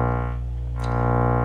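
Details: Miller & Kreisel V-2B subwoofer amplifier, 35 V positive supply sagging to 27 V under load: steady test tone with buzzy distortion and constant low mains hum; defective main filter capacitors, replaced to fix.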